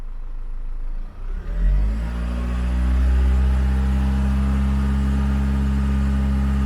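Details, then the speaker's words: Land Rover Freelander 2 diesel running on Wynn's diesel purge during an injector clean. Revved from idle to about 1800-2000 rpm and held a few seconds, a smooth steady higher note without knocks or misses: normal revving. "I'm just gonna rev it up to maybe 2000 RPM or 1800 RPM, hold it for a couple of seconds, and then I'll do it again."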